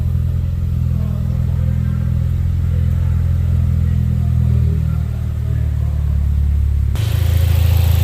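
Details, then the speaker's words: 2017 Ford Focus RS EcoBoost warming up after catalytic converter replacement (P0420) and a new turbo oil feed line: low, steady, even hum with no ticks, knocks or whistles; a smooth, quiet idle with no leaks. "far running good very quiet compared to some of the other ecoboost motors nice there nothing leaking down here"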